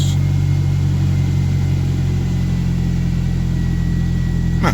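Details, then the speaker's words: Used truck with roughly 244,911 miles shown (reading unclear) starts and holds a low, steady idle rumble with an even beat. No ticking or knocking; idles fine. "she don't sound bad at all either so let's go take a look at this engine"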